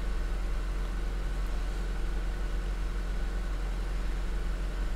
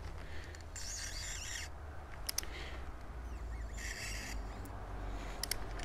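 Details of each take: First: 2006 Honda Accord Tourer (7th gen) idling after first spark plug change to NGK plugs; steady, even low rumble with no misses or knocks, running fine with no error codes; normal idle. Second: Honda Accord Tourer (7th gen), spark plug being removed with cold engine using light force; two drawn-out high metallic squeaks as plug turns, thread dragging in the head; owner fears damaged thread, cause suspected, not confirmed.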